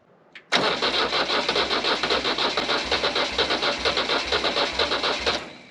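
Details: Oliver OC-3 crawler loader swapped to a Nissan SD22 2.2L 4-cylinder diesel, glow plugs hot-wired for preheat: steady starter chugging about two beats a second, no firing; cranks but won't start, cause unconfirmed.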